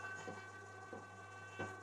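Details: A compressor runs with a quiet, steady low hum at an even pitch and faint clicks, powered through a dim-bulb/auto-transformer test setup after repair. It runs smoothly, though the auto-transformer struggles when the compressor cuts in.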